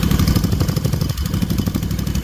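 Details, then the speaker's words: Freshly rebuilt Kawasaki FR730V V-twin in a Cub Cadet SX60, just started, before break-in; steady, even, lumpy idle with firm low beat and light valve clatter; no fuel or oil leaks found. Normal idle. "That's full of oil. No fuel leaks, no oil leaks. Sounds good, don't it?"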